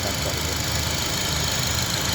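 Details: 2004 Honda Accord that vibrated after a poor tune-up elsewhere; after plugs were changed and the throttle body refitted, a steady idle with an even hum under plenty of hiss, no miss or stumble.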